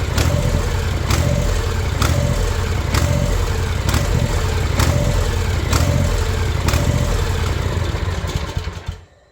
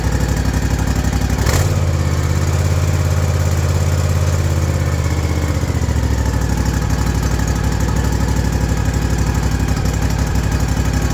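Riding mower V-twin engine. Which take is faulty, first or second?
first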